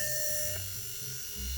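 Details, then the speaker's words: Mac 800K floppy drive M0131 eject mechanism after gear repair, three gears fitted in a row: small motor spins up with a clean steady high whine and even gear hum, no grinding; gear train runs freely, high reduction for torque. "oh wow okay the the multiplication is quite high right you see that the the the first axis is spinning really quickly and this thing this thing is spinning at a reasonable speed right so that's probably some torque for to be able to eject this"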